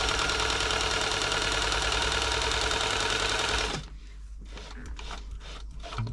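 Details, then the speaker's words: New Home 641 sewing machine, seized from drying out in loft storage, freeing up after oiling: motor-driven rapid, even clatter about three beats a second, then stopping, getting faster and looser as oil works in. "I think we're at the point now where the mot motor will turn it got starting to it's loosening up there she goes can hear it now getting faster and faster that's all the oil that I've worked into the points looser and"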